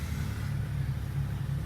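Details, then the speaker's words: Automatic car started cold, temperature gauge still low, rpm still high: steady low rumble at slightly raised even idle, no hunting; normal cold fast idle, before testing delayed engagement into D. "Nah ya, ini mesin sudah menyala dalam kondisi dingin, lihat tuh ya, ampere pengukur suhunya masih di bawah derajat Celcius ya, belum naik ya, berarti mobil ini memang masih dingin. Oke, RPM nya juga masih tinggi, belum turun."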